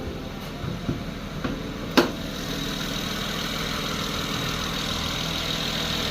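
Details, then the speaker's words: 2008 BMW 335i E90 (N54 twin-turbo) after fitting an aluminum valve cover with an OEM Elring gasket: a few handling knocks, then a quiet, even idle with no ticking or misfire. Smooth running, though the valve cover bolts loosen every heat cycle. "the car is running right now I wanted you guys to hear how smooth it was"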